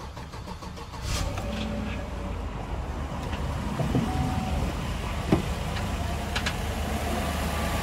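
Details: 2016 Chevrolet Silverado 1500 5.3L V8 with replaced engine, previously crank-no-start with P0192/P127C fuel rail pressure sensor codes; after the sensor fault was fixed, intake manifold refitted and codes cleared, it fires up and settles into a steady, even idle.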